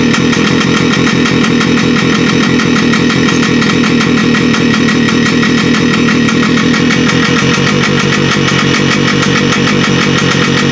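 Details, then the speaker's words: Carbureted RT motorcycle just revived, leaking fuel petcock: busy, slightly lumpy idle that won't rise, won't take throttle; owner suspects carburetor needle misaligned with its hole when reassembled. "I say it's not running right, it won't take the gas."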